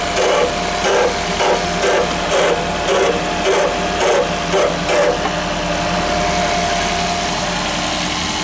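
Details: Grinding noise at cold startup in a 2001 first-generation Toyota Prius, also occurring without actually starting the engine; rhythmic grinding bursts about twice a second, stopping after five seconds to a steady hum.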